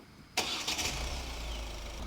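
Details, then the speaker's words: Engine start during a battery and starter test, with voltage and starter-motor current draw shown on a graph: a short crank, then the engine catches at once and settles into a steady, even idle. A clean, healthy start. "vom putea vizualiza pe grafic tensiunea, curentul absorbit de electromotor pentru a porni motorul."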